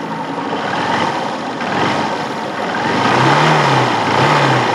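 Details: Hero Honda Hunk 150 single-cylinder bike after a complete engine repair (previously smoking), revved in neutral: even, smooth rise and fall of the exhaust note with no knocks or rattles; healthy engine.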